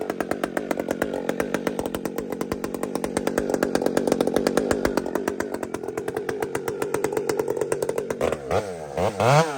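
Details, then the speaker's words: Husqvarna 592XP chainsaw fitted with a pipe holds high, steady revs under load in the cut, diving in instantly with no burbling, stutter or blamp. Normal chainsaw cut, clean tune. "So friends, you hear that instant, it dives in, just bang. There's no hesitation, no blamp."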